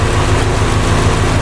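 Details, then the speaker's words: 2007 Subaru WRX STI after pre-turbo leak fix, Perrin up-pipe, VF48 turbo, catless downpipe, Q300 exhaust, warming up: deep steady even idle rumble, no leak ticking or puffing; normal idle. "but man this thing's already sounding so so much better the idle sounds better you could just hear it no leaks"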